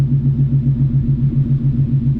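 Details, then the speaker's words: Coyote V8 swapped SN95 Mustang with newly welded exhaust, O2 sensor and fan settings fixed, still being tuned; deep even burble at idle through the exhaust, no ticks, misses or stumbles, sounds different from a two-valve; normal idle. "it definitely has a different sound than a two valve I'll put up a two valve clip of it idling yeah it sounds good"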